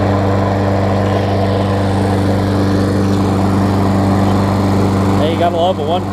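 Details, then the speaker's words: Craftsman self-propelled mower, Tecumseh single-cylinder, on old primed gas, after fixing loose, backwards blade that caused clunking: steady, even drone with no misses, knocks or hunting; running healthy. "we'll see if it will run on its own what you might will see it's got some rather old gas and these things like to be primed quite a bit see we get a turnover that's starting forward there as you can see"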